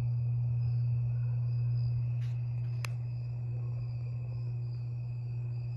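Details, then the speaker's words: 52-inch Harbor Breeze Lakeside II ceiling fan before restoration, working only on low on all three speeds: loud steady low hum from a cracked, slightly melted capacitor, to be replaced. "and it makes a humming noise makes a the humming noise is a little bit loud and I will replace it the capacitor"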